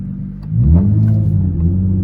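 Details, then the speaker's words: Nissan G35 at 185k miles with cats removed, first gear under hard throttle: revs climb sharply into a loud rumbling roar with no matching pull; clutch slipping, replacement planned. "It sounds amazing whenever I start it up and let it idle like that, but when I get down on it, it sounds terrible. So we're gonna be doing the clutch, putting the cats back in, and just making it a clean little street car."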